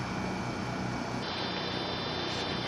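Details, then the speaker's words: Vintage McGraw Edison box fan after bearing and bushing cleaning, half an hour on low, motor only warm versus near too hot before: quiet steady hum with faint even whir, no rattles; runs smoothly. "now we've been running for half an hour and it is warm to the touch but absolutely nowhere near where it was last night"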